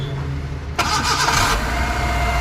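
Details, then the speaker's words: Maruti Eeco after head repair for overheating and coolant loss, small water added for start: quick crank, catches at once, smooth even idle with no knocks or rattles; normal engine start. "अब ये देखो ये आवाज़ बनी मतलब, और इतनी प्यारी स्टार्टिंग हुई है।"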